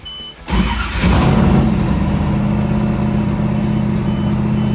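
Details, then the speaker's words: Freshly built engine with a tack-welded open exhaust and hydraulic lifters: a loud idle with a fast metallic tick separate from the exhaust tone; the owner suspects a lifter, a rocker arm out of adjustment, or loose header flange bolts. "there's just a there's a a metallic sound that's happening that is separate from the exhaust tone and i can't tell if it's a lifter or a rocker arm out of adjustment"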